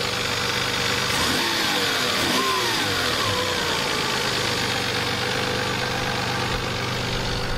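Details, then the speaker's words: 1996 Toyota 4Runner, used 3.4L 5VZ V6 with redone head gaskets, at running temperature, heard from one side of engine: busy, fast, slightly uneven diesel-like clatter only when hot; ticking noise, possibly valve clearance. "now the 4Runner is up to running temperature and you can hear from this side of the engine a little clattery kind of"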